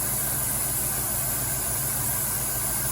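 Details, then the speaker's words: 1990 Cadillac Allante engine idling warm after new intake gasket installed; constant high hiss over slightly uneven idle, air sucked in on the intake. Vacuum leak suspected at the intake gasket, to be located by spraying cleaner and watching for rpm rise. "Vacuum leak. >> Here's a vacuum leak. just some magic smoke escaping."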